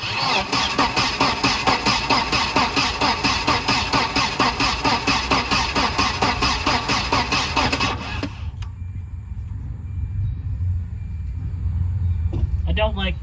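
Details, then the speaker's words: 1992 Volvo 940 wagon, long-sitting woods car: steady starter cranking at about two turns a second for eight seconds with no catch, then silence. Injector pulse seems present but no fuel is delivered, so it cranks but won't start. "not seeing fuel coming out of there. I guess it's a good thing. Oh yeah, brother. We definitely need to get fuel to it."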